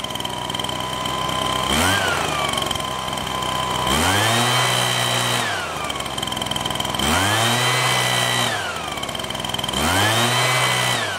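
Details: Husqvarna 125BT backpack blower two-stroke: revs up in repeated bursts but sags and falls flat rather than holding high speed with choke butterfly open; carburetor problem suspected, leaking fuel; bogging under throttle.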